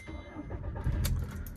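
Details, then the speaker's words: Volkswagen Vento after aftermarket service, engine and gearbox said to be fine: short crank that catches on the first try and settles into a steady run; healthy start. "Single self में गाड़ी start हुई है अभी भी"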